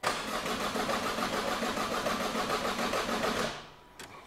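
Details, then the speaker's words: 2008 Opel/Vauxhall Astra H 1.7 diesel (Z17DTH), replacement engine, crank no start with no codes: even cranking about three and a half turns per second that never catches, a dry-sounding start; injectors one and four wiring swapped. "know if you can hear that if that kind of came through so I was like okay well all the other centers are reading the injectors they're the other things I can't see it sounds like we have like a dry engine"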